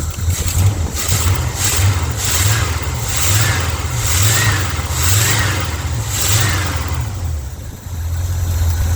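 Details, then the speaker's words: Big Bertha just revived after a 20-minute installation, still cold: a deep V8-like rumble in repeated revs, each pull bringing a sharp puffing hiss; an old exhaust leak, expected to sound better once warm. "y'all hear y' I hear that old exhaust leak too she'll sound better once you warm up"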